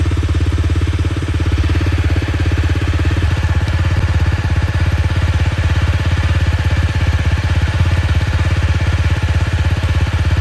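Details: Honda CRF250L single-cylinder engine after cam chain tensioner (lifter) replacement for a rattling noise on throttle closing: steady low thump about three beats a second, even with no top-end chatter; normal running.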